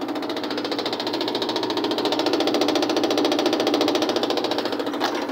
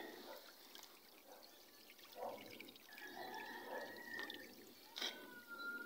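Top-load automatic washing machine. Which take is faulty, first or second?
first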